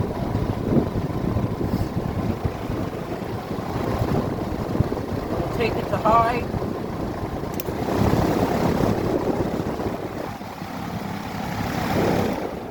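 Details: New belt on 40-inch Maxx Air Pro Flex drum fan (garage-door-opener pulley drive) stepping from low to high speed: steady rush of air swelling smoothly and evenly, belt drive healthy; normal run.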